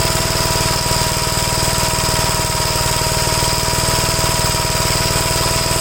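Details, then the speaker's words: 1956 Gravely L single-cylinder tractor running with a swapped carburetor after a rough-running, hard cold-start problem. Steady, even beat with no misses or stumbles; runs cleanly, showing the original carburetors were never at fault. "so there was nothing ever wrong with the carburetors I wasted hours and hours trying to mess with the carburetors here"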